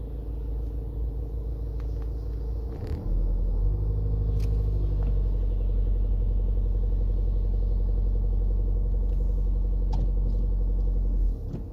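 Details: Audi A4 2.0 TDI diesel running with a deep rumble and a loose, repeating knock of roughly four beats a second.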